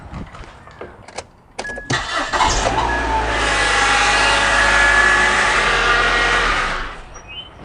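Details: 2001 Nissan Altima, started cold after a water pump replacement: catches and runs a few seconds with a busy mechanical clatter over the idle, then shuts off. The cold-engine noise was not cured; the origin is unclear, and accessories are to be eliminated next.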